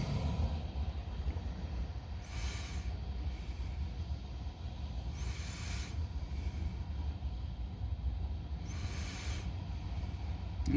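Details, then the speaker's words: Passing freight train on Binghamton east side track, engine pushing and pulling cars with air brakes: heavy low rumble with harsh metallic scraping surges every few seconds; observer suspects something dragging (drag pipe) or bad tracks, unconfirmed. "Now they're dragging something. That's what made me want to film this in the first place, is all that noise."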